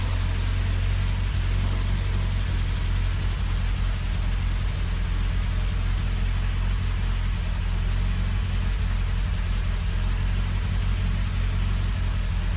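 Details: 1974 MG Midget with SU carbs at idle: deep, steady idle with slightly uneven loping beat and no knocks; mixture running rich, owner struggling to tune between weak and rich.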